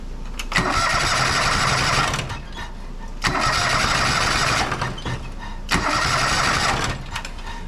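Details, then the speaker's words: John Deere 425 riding mower, Kawasaki twin, with one cylinder's ignition coil lead disconnected: three cranking bursts of about two seconds each that never catch, showing the other cylinder is dead; the cause was a failed ignition coil. "so with this one disconnected it does not want to fire up"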